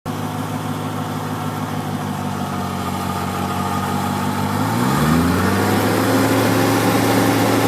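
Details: BMW M60 V8 idling with a sharp, light, regular ticking from under the engine, about four ticks a second, with a small speed rise midway.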